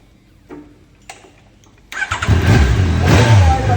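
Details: Motorcycle, after fitting a new voltage regulator for a no-start: a couple of quiet clicks, then engine catches at once and runs strong and even with throttle blips.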